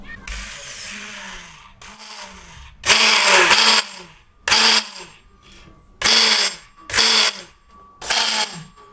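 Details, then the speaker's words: Bosch MSM6250 400 W hand blender: short bursts of harsh, rasping high-pitched grinding each time the motor spins up; a clear mechanical fault, a worn, dry shaft bearing, with no electronic problem. "It's very clear a mechanical problem. I'm happy about that because there's no electronic involved here."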